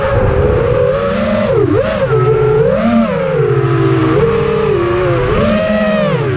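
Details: Quadcopter in flight after swapping LittleBee 20A for TBS Bulletproof 25A ESCs and Betaflight 3.1.0-RC5 update. The sound remains despite demag and motor timing changes and DShot 300 (normally 600). Wavering tonal whine sweeps with throttle; cause unclear.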